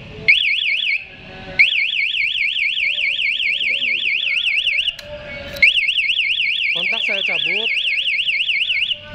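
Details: KTM Duke 200 with an MP one-way alarm, anti-robbery mode triggered by pressing lock once: the engine cuts out and the starter is disabled. Loud warbling siren bursts follow; anti-theft siren operating.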